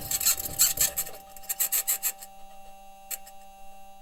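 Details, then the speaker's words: Perseverance Mars rover's first drive: irregular rasping scrapes, bangs and metallic pings from metal wheels rolling over rock, over a thin steady hum, plus a high-pitched scratching noise engineers have yet to explain. "Also present in the recording is a high-pitched scratching noise which the team has yet to explain."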